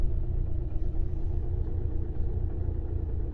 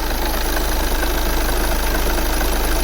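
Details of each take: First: 2009 VW Tiguan 2.0 TDI diesel idles heavy and lumpy with jumping rpm and strong shaking, as if running on three cylinders. Misfire with smelly exhaust and some blue smoke; cause not yet confirmed. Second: 2009 VW Tiguan 2.0 TDI diesel with a misfire issue, restarted after a sensor was replaced and cam and crank timing were locked and aligned: smooth, even diesel idle with a steady low clatter and no misses, working great.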